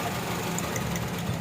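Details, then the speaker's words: Honda Civic (Reborn) petrol engine that misfires and uses too much fuel: rough, uneven idle with one ignition coil unplugged during a power-balance test; coils 1-3 proved good and coil 4 faulty. "तो अगर हम इस कोयल को bye निकलते हैं तो bye निकालना से अगर गाड़ी वाइब्रेशन करती है तो फिर गाड़ी की ये कवाल ठीक होगी अगर वाइब्रेशन नहीं करेगी तो वो कोयल खराब होगी"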